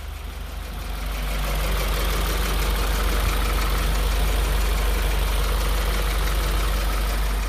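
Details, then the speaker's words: 2015 Subaru WRX idling during a 15-minute AMSOIL engine flush before an oil change, already on AMSOIL but never flushed. Steady, quiet low thrum at about three to four pulses a second, even, with no tapping; a healthy, very quiet idle. "she is very quiet she does already have AMSOIL in her but she wasn't flush before so we'll see how she is"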